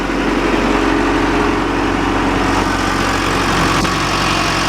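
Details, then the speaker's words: John Deere 310G backhoe diesel that keeps losing fuel prime after sitting, injection pump suspected needing rebuild, now started: steady even idle clatter with no misses or surges; normal idle. "So anyway, it's running and starts and goes okay, so that's all for this one."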